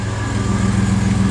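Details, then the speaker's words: Vehicle running after new wheel bearings and races plus a fixed ground strap that was grounding out the temperature sender: even, steady low idle with a smooth regular pulse and no knocks or misses. Normal idle. "couple of snags and we got it done sounds like a champ"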